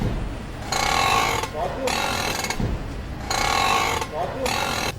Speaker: 第一，打方向盘的时候嘎吱嘎吱响，不要花钱去修方向机，你直接花80块钱把减震器上面的平面轴承给它换掉，问题立马解决。